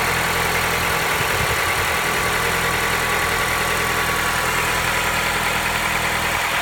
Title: Стук в двигателе Honda Accord 7 2.0